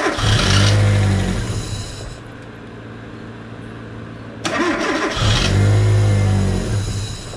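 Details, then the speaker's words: LPG-converted car after replacing spark plugs and refitting the coil pack to cure intermittent stumbling and unsteady idle: engine cranks, catches twice, then settles into a smooth, even idle with no stumble; normal idle. "เรียบร้อยไปแล้วนะครับแก้ได้เลยนะอาการกระตุกนิดๆๆเดินไม่เรียบนะครับ"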